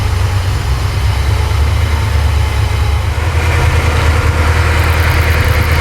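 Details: Porsche 928 V8 idling roughly with a deep, lumpy, uneven beat and occasional stumble, slight misfire; timing strobe on cylinder 1 shows about 10 degrees before, ignition timing too retarded, mixture also off.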